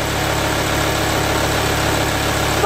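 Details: 2004 VW Touareg diesel, first start after refilling an engine that had been fully drained of oil (about 8.5 litres): settles into an even, steady idle with no knocking, rattling or hunting; running clean.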